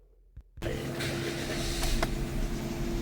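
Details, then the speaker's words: Toyota Passo after repair for misfire and catalytic converter code, with CVT fluid renewed: brief crank, catches at once and settles into an even, steady idle. Scan shows no codes and no misfire. Normal start and idle. "इस time माशा्लाह गाड़ी start है। कोई error नहीं है।"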